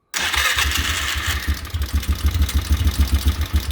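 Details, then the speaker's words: 2003 Polaris Sportsman 500 HO ATV after Bendix and recoil starter gasket replacement: starter engages cleanly, engine catches within a second, steady slightly lumpy idle needing a little throttle; starting system fixed. "look at that starter gaug is just fine running just fine got to give it a little throttle here but um that's what it should be like"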